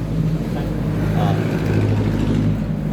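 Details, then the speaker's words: Yamaha Mio S40 scooter, freshly cleaned CVT (panggilid) humming at idle: steady even low drone from belt side; drive face pulley, assembly and belt later found at fault. Worn CVT drive pulley and belt. "Ayan, may nahugong pala ito guys. Yamaha S forty ha guys. May nahugong daw sa kanyang panggilid."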